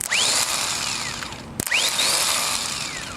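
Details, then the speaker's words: Starter for a 2001 Ford Taurus bench-tested by shorting the solenoid: two clean spin-ups, each a high whine that climbs and eases off smoothly with no grinding. The starter is good; the starter was the car's problem. "see that my friend is a good starter so I'm going to go stick this on"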